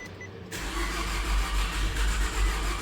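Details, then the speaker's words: 2011 Nissan Altima on its first start after an engine swap (the old engine used a quart of oil a week); the starter turns slowly in heavy, uneven low thumps, never firing. Owner thought it sounded like no compression, then a jumper battery spun it quicker. "kind of sounds like no compression wants to start. I don't get a battery charger."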